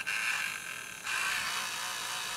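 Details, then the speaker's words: Aiwa GS110 Walkman cassette player, not working: thin high buzzing whine from the motor, shifting pitch midway; abnormal motor noise, owner suspects it may only be due to running with no load. "i don't like it i think motor is actually i don't think it's supposed to be sounding like this but i have a suspicion that potentially it sounds like that just because it doesn't have a load"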